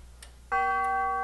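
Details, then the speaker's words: Grandfather clock tube gong on test stand, after refurbishing hammers whose worn leather pads caused poor chimes: one hammer strike rings a clear, sustained bell tone with clean overtones, no tinny buzz; clean chime. "Oh, yeah. That sounds really good. Let's hear it a little bit heavier. Oh, sweet. Very sweet."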